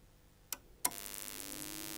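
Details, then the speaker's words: Allpowers R600 portable power station beginning to charge: two clicks as it connects, then a soft high hiss with a faint rising tone; quiet normal charging noise, quieter than the constant hum of a Bluetti unit. "Este es el ruido que hace al cargar si se compara este ruido fijaos me ha cachado para que se el micro sonara es que Mirad eh si comparamos este ruido con el zumbido constante que me da el mío para mí esto es un 10 eh"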